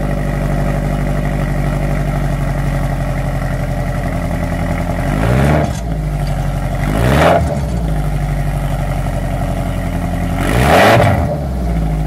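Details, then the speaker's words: Toyota Tarago/Previa/Estima TCR11 van idling and blipped with new Bosal catalytic converter (front section) fitted but rear exhaust pipework missing: loud, raw, blatting drone swelling harshly on each blip; open exhaust. "Right, I've got the first part of the catalytic converter on, and again I'm going to start it without the rest of the exhaust, see what it sounds like just with the catalytic, okay?"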